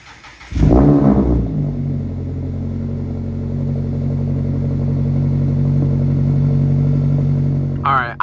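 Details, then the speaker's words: Mazda Miata cold start after repair, back on the ground: starter cranks briefly, then the engine catches and settles into a steady, smooth fast idle with a low even hum; normal cold start. "I do want to show you what it sounds like when it's starting cold cuz I don't think I've ever shown you a cold start"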